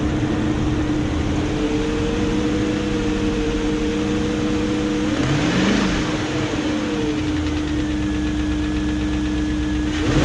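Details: 2001 BMW E38 740i V8 after timing chain guide replacement and resealed VANOS units, hoping ticking/dieseling is gone: smooth steady idle rising cleanly with revs, no ticking on top; normal running.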